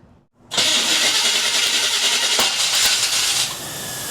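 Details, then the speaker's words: 1979 GMC Sierra V8 abandoned 25 years, timing retarded after seeming too advanced: cranks and catches at once, settles into a steady run without sputtering; starts and runs cleanly. ">> Sounds good."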